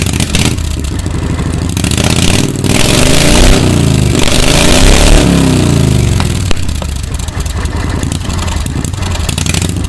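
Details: 1992 Club Car golf cart with upgraded V-twin Briggs engine, after driven clutch replacement, stored about 6 months; uneven sputtering, catches and surges in ragged revs then settles, hard starting after storage.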